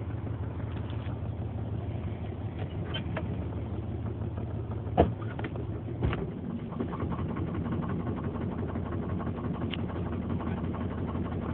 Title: 93 Ford Explorer rough idle, mis fire